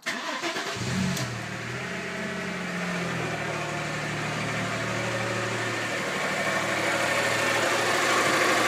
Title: Passat whining sound